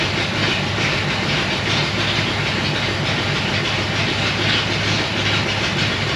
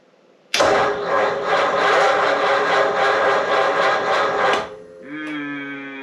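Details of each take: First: 1937 Ford taildragger, 59AB flathead with dual exhaust, about 80°F humid: steady, evenly spaced quick beat, then revs step up; misfire/no-run fixed by swapping failed new cheap condenser for an old used one. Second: 1937 Ford taildragger with 59AB flathead on a six-volt system, hot humid day: starter churns slowly at about four beats a second for four seconds and never catches; owner blames a bad new battery, possibly also a failing coil.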